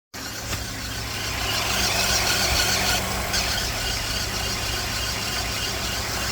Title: The annoying squeaky noise happens to be an alternator going bad. #squeaky #alternator #cartips